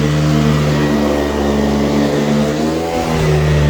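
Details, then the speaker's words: Powerhead on an AirVac AV3500 central vacuum running on carpet: loud steady whirring drone with a strong even hum, brief dip then recovery; brush bar spinning faster and louder on carpet, running normally. "that vacuum power head's really spinning now it loves this carpet a lot more it's much happier with it it's also a lot louder cuz the brush bar is spinning faster"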